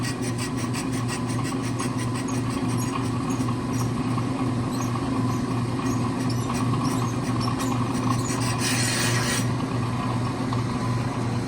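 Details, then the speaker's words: StopTech brake rotor, only a couple thousand miles old, on an Accu-Turn brake lathe, bit just touching the rotor: steady cutting rasp over lathe hum with a scrape that comes and goes each turn; warped rotor causing pulsing pedal. "you hear how it's going that's that's evidence that it's warped"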